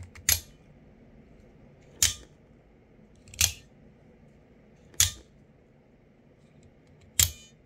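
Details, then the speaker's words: Newer deep-carry-clip Axial Shift OTF knife, before disassembly: five sharp metallic snaps, each with a brief high ting as the blade fires, spring ting on deployment; owner suspects the spring and plans to grease it, cause unconfirmed. "But this knife is kind of making some tinging sound. I don't know if you can hear it."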